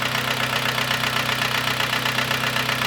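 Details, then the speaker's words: Kia Sportage 2011, G4KD 2.0 petrol, manual, front-drive, 150,000 km: hard even knocking at idle, about 160 a minute, two or three pistons slapping from deep scored cylinders; piston slap. "Брякает явно не один поршень не брякает там штуки. Ох, как хорошо. Штуки две-три наяривает, я бы сказал."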